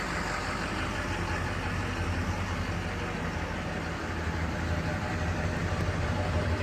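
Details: 2004 Chevy Silverado 2500HD Duramax diesel, engine cold to the touch, started after the glow plug light went off. An even, low, smooth diesel idle with no knocks or misses. Normal cold idle.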